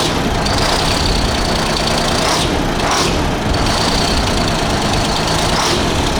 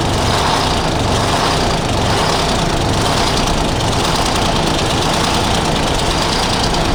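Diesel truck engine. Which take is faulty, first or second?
second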